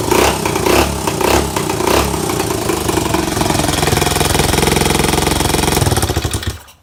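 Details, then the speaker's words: Pit bike single-cylinder engine with a carburetor not made for that bike, first start after reassembly: revs up and drops back crisply, holds a steady rapid buzz before shutting off; good throttle response; normal running and revving. "it has a good throttle response uh chime honestly really surprised that the size of the carburetor"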